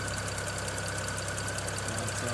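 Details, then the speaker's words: 2009 BMW 335i N54 idling after upper radiator hose replacement, checking for coolant leaks: fast, light, regular ticking over steady idle, owner suspects an ignition coil ticking, probably causing the misfire. "I can hear a coil ticking, may be able to hear it as well. Probably the culprit of my misfire."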